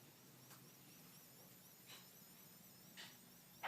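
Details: iMac in sleep mode, HDD asleep and not fan noise: a very quiet, steady hiss with a faint low buzz and thin high whine. It is like an amp's white noise with the guitar unplugged.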